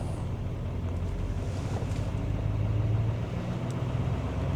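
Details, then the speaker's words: 2017 GMC Sierra 3500HD L5P Duramax diesel, after repairing the #5 injector pigtail misfire and clearing codes: steady deep rumble at a raised idle, revving up during a forced DPF service regeneration; normal high idle during regen. "as you can see she is revving up just wanted to come back and let y'all hear how this thing does a regen well a service regen normally a regular regen you don't even notice it cuz it usually does it riding down the road"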